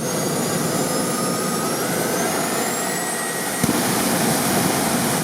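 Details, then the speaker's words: Jet motorcycle turbine, final test at maximum speed after setting the valve with afterburner on: loud even roar with steady high whistle, pipe heating evenly; ideal, stable, economical afterburner. "Look, friends, how evenly the afterburner heats up. Finally we have an ideal, stable and economical afterburner."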